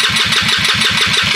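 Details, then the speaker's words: Trailmaster 150 stroker engine compression test, four cranks: even strong cranking pulses about six per second; healthy high compression reading 250 psi, high-octane fuel recommended. "and it just stopped and that's 250 the reason I do it at four cranks is because I want a baseline"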